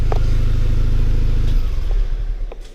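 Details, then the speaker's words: R53 Mini Cooper S after supercharger replacement, coolant bled: steady, even idle with no rattle, then switch-off. The horrific rattle is gone, with a bit more supercharger whine; a normal idle. Water pump still due for replacement. "Horrific rattling noise has gone. Bit more of a whine from the supercharger now. Yeah, running like a champ."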